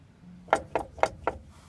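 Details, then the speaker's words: Nissan Titan rear end with synthetic 75-140 fluid, a ton of shavings found, driver's side axle popped out: four sharp metallic clunks about a quarter second apart as the driveline is rocked by hand; lots of slop, probably needs a new differential. "And there's clunking when you spin the driveline back and forth. With this out, you can spin it. When you pop the axle back in, you can't spin it, obviously, but there's a lot of clunking in there."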